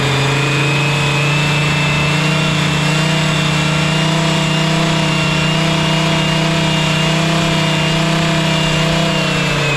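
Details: Honda Lead 90 (HF05-1025) vintage scooter engine idling: steady, quiet idle with an even low hum holding its pitch, no tapping, rattling or hunting; normal, healthy engine.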